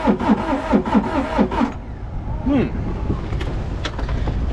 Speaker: sounds horrible what just happened huh I guess we crank it over again foreign okay not exactly sure what's happening